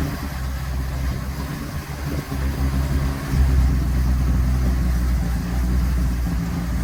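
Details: 1957 Ford Popular 103E: low, lumpy idle with an uneven beat that stumbles and dips now and then. Engine misfire, cause not pinned down.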